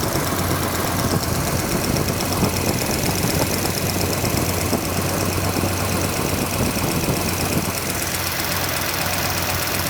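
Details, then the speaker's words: Restored car engine running during timing and valve lash checks, low coolant, oil sprayed on manifold: fast light ticking chatter from top end at idle; one rocker's valve lash is loose and needs setting. "Oh my. Okay, that one's shattering."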